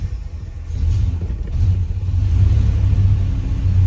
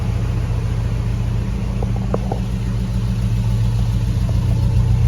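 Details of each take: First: Hemi-swapped Grand Wagoneer just started after replacing a sensor: deep V8 rumble settles into slightly wavering idle; previously bogged as it warmed, now sounds better. Cause not yet confirmed. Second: Hemi V8-swapped Jeep Grand Wagoneer warming up at idle after checks for an earlier fault: deep, even idle with a steady low rumble and no dips or stumbles. Previously it bogged and idled down low once hot; it sounds healthier now, exhaust audible.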